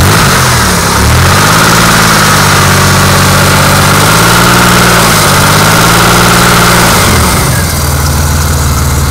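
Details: Car engine with 190,802 miles revving then idling with a steady knock about four times a second, rod knock, louder the longer it runs.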